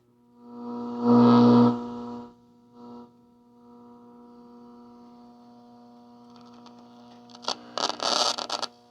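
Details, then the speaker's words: 1960s Channel Master 6528A AM transistor radio with worn battery contacts: low steady hum and faint hiss from the speaker, no station anywhere, crackle when handled; the amplifier works but the oscillator stage is dead. "We can hear the hiss. So it is running, at least the amplifier is."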